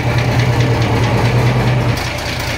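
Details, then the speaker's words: Steady, soft diesel idle with light normal clatter after new injectors fitted and pistons flushed with engine oil to clear carbon; sounds much smoother than before, though white smoke remains. "แต่เสียงนิ่มกว่าเดิมเยอะเลยครับเสียงนุ่มมากครับ"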